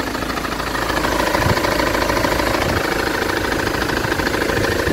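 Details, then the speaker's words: Ford Transit diesel at idle, before the crankshaft pulley was replaced: a steady knock about three times a second, not caused by the ignition coil; a shop diagnosed a noisy crankshaft pulley. "Сказали, что шумит шкив коленвала. Я заказал новый шкив."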